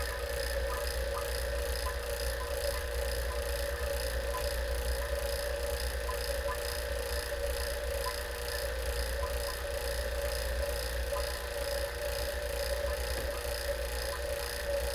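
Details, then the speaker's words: R-600a refrigerator with two separate compressor systems for fridge and freezer, vacuum pump evacuating it after drier filter replacement: steady pump drone with a faint wet gurgle underneath that quietens as it runs; air still in the system, so wait until the gurgle stops completely. "listen to the gurgley you want to wait for that to go away completely to know there's very little or no air left in the system listen how it gets quieter as it's running"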